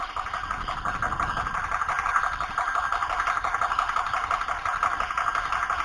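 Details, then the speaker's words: New Air Venturi Nomad 2 air compressor running and building pressure, internal fans on: steady hard drone with a hissy whistle near 1 kHz as air leaks from the pressure release/bleed valve even when fully tightened. "the problem is this is your pressure release valve air is leaking out of this thing I can tighten it down as tight as I can turn it it still leaks"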